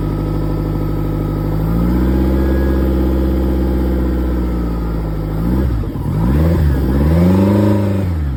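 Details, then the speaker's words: Yamaha F150 outboard after high pressure fuel pump in VST replaced, run briefly for leak check: smooth even note climbing cleanly with throttle and settling back, no knocks or misses; normal running. "Bon mais ça m'a pas l'air trop mal tout ça."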